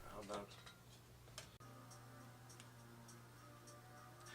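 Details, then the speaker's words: Samsung DVD-V5500 DVD/VCR combo, DVD section faulty: disc spins and reads table of contents but no audio; light regular ticking a few times a second, awful noise persists, cause not pinned down. "so for some reason the CD is spinning I have no music it read the table of content I think it tries to load something but there is definitely no audio and it still makes that awful noise"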